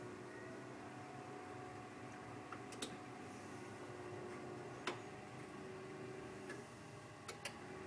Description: The boiler starting up and then making a loud vibrating noise.